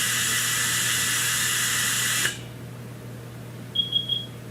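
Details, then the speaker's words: Hunter Road Force tire balancer with air nozzle clipped on, checking tire pressure set to 35 psi before a road force run: steady hiss of air cutting off sharply, then three quick high beeps; pressure check finished normally. "I got this one here set at 35 pounds, and you hear the sound. I'm going to quit talking. When you take this out, now we clip it on, and it'll check our air pressure."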